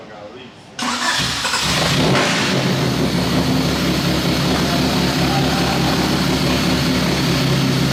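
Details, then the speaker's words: Honda del Sol, not run in four years, started after simply adding fuel: cranks briefly, catches cleanly, settles into steady even idle with no misses or knocks; engine and ECU judged good. "i just heard this thing start for the first time in four years wish it sounded a little better but we can confirm engine is good and i think the ecu is good as well so that's a win"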